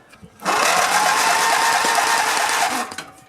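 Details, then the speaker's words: Grasshopper zero-turn mower, 16hp Vanguard V-twin with no spark; loose solenoid wire reconnected but steady starter whir for two seconds with no firing; cranks but no start, kill wire to key next suspected. "got nothing. That's not good. So that wasn't our problem."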